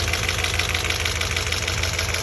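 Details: 2006 Audi S4 B7 4.2 V8 at idle with quick, steady ticking, six or seven light clicks a second over low rumble; also backfiring, coils and plugs due; owner doubts timing belt or rod knock, ticking source unconfirmed.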